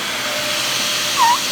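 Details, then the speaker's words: Dyson DC41 vacuum, a trash find with a replacement cord and dustbin latch, running: a steady air rush with a short chirping squeak rising and falling at mid pitch from the dust-cup inlet seal as the plastic flexes. Seal squeak. "Because the machine's flexing, it's making that noise."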